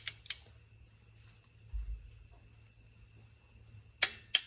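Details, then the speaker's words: 2004 Scion xB, reinstalling the cylinder head and torquing the aluminum head bolts in sequence: crisp double clicks from the torque wrench, showing the set 22 ft-lb has been reached on bolt one. "Hear that? Okay, that means it's at 22 foot-pounds."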